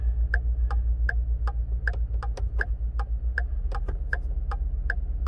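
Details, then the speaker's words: 2013 Ford F-150 XLT with its third body control module, after water leaked in through the windshield: even relay-like ticking two to three times a second over a low hum; hazards stuck on from a failed BCM. "it sometimes says that the parking brake is on brake warning light is on a little brake fluid message will come up hazards won't shut off power door locks don't work from the switches"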